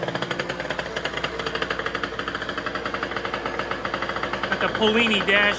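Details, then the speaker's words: 70cc two-stroke race scooter, total-loss electrics, drill-started, on race gas: fast crisp ringing chainsaw-like buzz with regular beat, climbing sharply when revved near end; normal strong running. "And it sounds pretty wild. It sounds like a pretty nasty little chainsaw, but you know, it's only 70 cc's, so I think there's bigger chainsaws out there than that."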